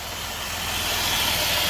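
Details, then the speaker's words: 2007 Dodge Nitro 3.7 V6, 147k miles, check engine light on, idle surging: a steady sharp hiss over a low even idle that doesn't pulse with the engine, from a hole in what may be the PCV line; vacuum leak. "There's a hole in that PCB line, I want to say. Not sure where that hose go to, but I know it's leaking."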